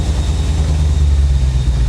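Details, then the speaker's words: 1985 Chevy Corvette V8 swamp rescue on its first runs: revs smooth, then intermittently stumbles and wobbles at idle; owner says it isn't misfiring, cause unknown. "When it revs up, it actually sounds really good until it stumbles like this. But right there, that sounds smooth as silk."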